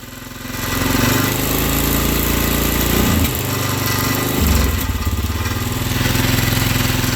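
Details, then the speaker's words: 2004 Polaris Sportsman 400 ATV, long-idle cold start, running rough on choke and dying with more throttle: loud single-cylinder idle with a loose, uneven metallic rattle riding over it; rattle source not pinned down. "hey that God awful rattling there shut up"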